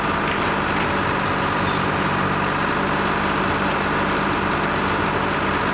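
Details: Lima 34 shovel, just started after a round of repairs, before greasing and digging: steady, even diesel idle with a low drone and no knocks or misses; the old two-stroke idles normally and healthily.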